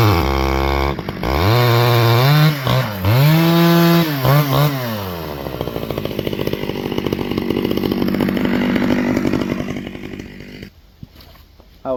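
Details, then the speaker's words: Repaired Stihl 011AV chainsaw, cold, in a test cut: revs up then pitch sags and wavers, labouring under load; owner plans more fuel on high-speed carb screw because it's so cold, cause unconfirmed. "was making that cut right there, and you can kind of hear it struggling a little bit, so I'm gonna give it a little bit more fuel on the high side since it's so cold."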